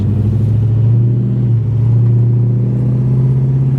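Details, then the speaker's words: 1966 Plymouth Barracuda V8, automatic, driving: deep, even old-school rumble swelling gently with throttle, no knocks or rattles; normal exhaust rumble. "hear that exhaust just kind of got the uh Old School Rumble"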